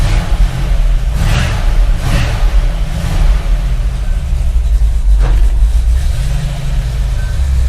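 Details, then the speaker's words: Hemi-powered F100 bumpside after Tremec TKX 5-speed conversion and rewiring with starter and ignition relays for MSD distributor and coil: deep V8 idle with steady, even beat, no knocks or misses. Normal idle. "So yeah, it starts great now. It's running nice, and yeah."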